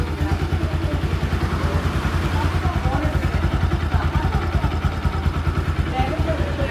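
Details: Bajaj Pulsar NS200 after head and cylinder kit refit to cure engine noise: steady fairly quick thump at idle, about three beats a second, no tapping or knocking over the exhaust note; normal idle.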